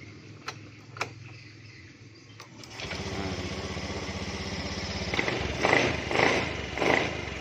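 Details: Honda Beat eSP scooter after repairing and jumpering faulty wiring, owner noting the CKP circuit: a few quiet clicks, then the starter catches and the engine fires within a second, idling evenly with throttle blips. Now starts normally.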